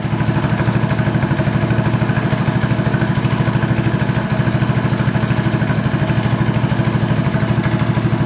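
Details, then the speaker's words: 1986 Honda TRX 125: steady fast even single-cylinder beat that never settles; idle hangs high because throttle cable has no free play. "Let's see how much play is in my throttle up here because Oh, yeah. There's nothing. The throttle's tight."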